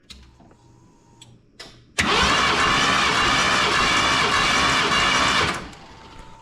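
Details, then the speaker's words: 1990 Ford F250, 460 big-block V8 that runs poorly, cranking with all plugs out during a compression test, cylinders about 150 and 140 psi. Starter spins about three seconds with an uneven, galloping lope; cause unclear. "it's there sounds like a gallop though. Like there's even with all the plugs out, it still has that right."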